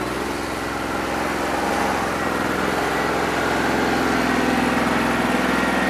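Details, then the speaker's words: New Holland 1320 tractor diesel with a suspected bad injector, not clearing up when hot after three hours of loader work: uneven, lumpy idle of roughly three or four beats per second, running on about 2.5 cylinders; misfire. "We're running on 2 1/4, 2.5 cylinders that don't run too bad. I think it needs an injector, that's what I'm over here playing with."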